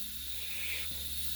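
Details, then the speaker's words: Simplex locomotive under restoration, run on 30 PSI compressed air: steady sharp hiss of escaping air around a thin paper gasket that needs replacing; further hissing from inside the boiler, source not found. "now there is a bit of a concern I can hear air escaping there's air escaping around there so that needs a new gasket that's only a thin paper gasket and it's not doing its job"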